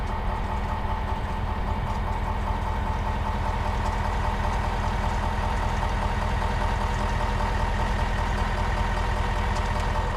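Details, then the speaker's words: 2021 Ford F350 diesel, just restarted after a fuel filter change and priming: even diesel clatter at a steady idle, constant low drone, no stumbling. Oil pressure is good and there are no leaks; normal idle. "All right, got good oil pressure."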